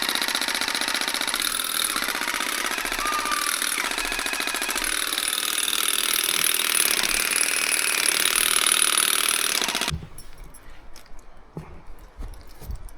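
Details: Old Makita DUN461 pole hedge trimmer after reassembling blade head, cutting; high buzzy chatter with rough rattle for ten seconds then cutting out; rackety, still no torque, about the same as before repair, cause unconfirmed.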